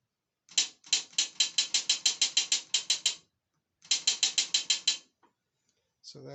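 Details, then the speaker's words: 09G transmission solenoid bench-tested on a stove, submerged in hot transmission oil at about 200 degrees, resistance about 5.5–6.4 ohms, pulsed from a battery: crisp clicks in two quick runs, about three a second, with sharp clean snaps, the solenoid switching properly. "i know they all work but uh i haven't done it under the heat or the warm transmission oil so you can hear it"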